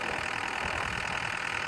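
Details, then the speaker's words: Six-and-a-half-ton digger (DX63) diesel finally started after a no-start; ticks over at a steady, even idle with no misses or knocks. Normal idle. "got it going am I glad to hear that engine going"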